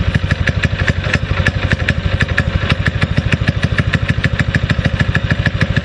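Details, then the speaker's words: Predator 6.5 hp clone single-cylinder on a springer bike, after carburetor re-jetting and spark plug cleaning: steady pop about three beats a second with a slightly uneven, loping exhaust note that sounds like missing but isn't; idles and responds well. "yes sir I'm impressed I am impressed I uh I like to wait idols I like the way it responds"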